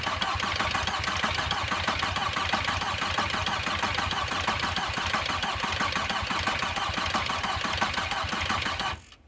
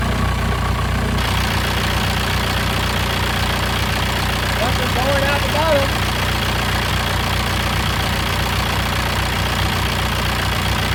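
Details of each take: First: VW Passat B4 diesel after a full engine rebuild, battery a little weak: even starter chatter for about nine seconds, never catches; air in the injector lines being bled, fuel oozing from the injectors. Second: VW Passat B4 diesel after full engine rebuild, first start: steady, even, unbroken diesel clatter at idle; engine runs healthy, though slow boost later suspected from the N75 valve or a leaking intercooler.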